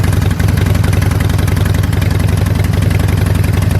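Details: Harley-Davidson Sportster V-twin idling after an O2 sensor replacement and codes cleared, run to check the sensor seats without an exhaust leak: steady potato-potato lope, three to four beats a second, evenly spaced, no misfire or exhaust tick; healthy idle.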